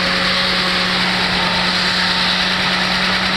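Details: 2008 Honda Civic petrol engine idling with a steady drone and hissy top end, engine visibly shaking. The misfire is from faulty ignition coils.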